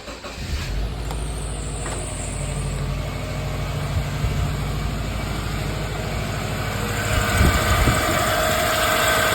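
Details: 2002 Subaru Forester XT SG5, EJ20 turbo, automatic, first start after the failed factory turbo was swapped for an upgrade and a partial exhaust fitted: steady even idle, low rumble, no knocks or rattles; healthy.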